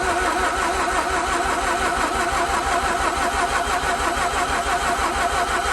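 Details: 2004 Mazda RX-8 manual, rotary, unstarted for 2 years, cranked with gas pedal down in deflood procedure after lubing spark plugs: steady starter churn about two beats a second that never catches; engine cranks but won't start.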